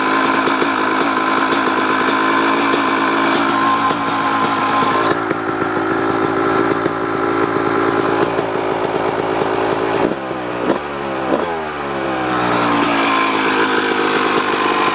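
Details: 2002 Kawasaki KX250 two-stroke running and blipped: a light ticking rides over the ring-ding exhaust. Suspects include the clutch basket, power valve, or crank rod or bearing; cause unconfirmed.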